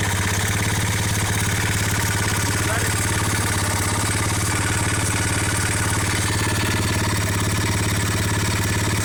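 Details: ABM Raptor 250 single-cylinder idling with a regular clattering knock, about three or four per second, following the firing beat; internal engine knock, cause unknown.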